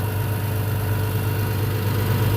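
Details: International 756 tractor started after sitting two years in a shed: deep, even idle with smooth steady beat and no knocks or misses; engine running healthy.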